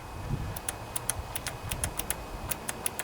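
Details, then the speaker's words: Kohler Command 20 hp OHV V-twin on a sewer jetter that starts then dies: with the key at the first position, the fuel shutoff (anti-backfire) solenoid's wire is touched to ground. It gives sharp, irregular clicks, so the plunger works normally. "that plunger is working so we know the plunger is good"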